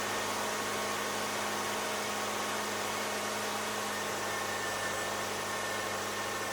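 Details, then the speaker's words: 2008 Subaru Outback, EJ25 non-turbo 4-cylinder, 5-speed manual, about 96,000 miles, cold and warming up in closed loop; quiet steady low hum, even idle with no stumbles, normal before a failing ignition coil causes hot stalls. "right so this is what I call the happy idle state so basically the engine's cold it's kind of warming up if you use a scan tool you'll see it quickly enters closed loop um so it's maintaining its air fuel ratio everything seems to be normal at this point"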